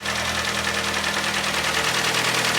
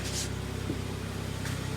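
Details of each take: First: Hyundai ix35, 2011, G4KD engine, front-wheel drive, automatic, 157,000 km, LPG fitted: hard, steady knocking about three beats a second over idle, loud and even; scored cylinders letting pistons slap, may need boring or re-sleeving. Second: 2011 Hyundai ix35 G4KD, FWD automatic, 157,000 km, LPG-equipped but not running on gas, after repair of cylinder scoring knock, heard from outside: steady, quiet, even idle with no knocks or extraneous noises; normal idle.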